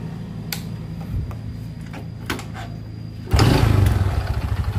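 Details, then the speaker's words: Supra X 125 motorcycle: quiet idle with scattered dull knocks, then throttle blips bring harder rhythmic knocking that rises with revs and never disappears, a sign of a worn connecting rod (stang piston). "saat pertama motor dihidupkan suara muncul dan saat gas ditarik seiring putaran mesin jadi semakin tinggi putaran mesin suara itu mengikuti ya Jadi tidak hilang Nah itu salah satu ciri stang piston yang sudah kena"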